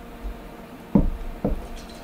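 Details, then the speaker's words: Cooler Master ML240L AIO cooler thawing after being frozen, pump powered from a bench power supply: two short wet gurgles about half a second apart as coolant sloshes inside; pump still frozen solid. "yep we got even more sloshing now"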